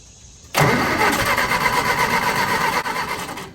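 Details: Willys-powered Army skid generator, electric fuel pump running, no prime this attempt: engine catches abruptly, chuffs unevenly about three seconds, fades and stops; runs only with prime, owner suspects blockage in carburetor.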